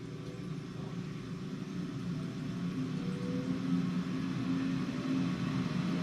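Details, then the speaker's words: Lochinvar Shield commercial water heater after repairing the leaking union above the pump and resetting the tripped GFI: steady, even blower and burner roar without surging or rattles; heater reaches temperature, normal burner operation. "yep everything runs the way i should [Music] the water heater got to temp all is working fine"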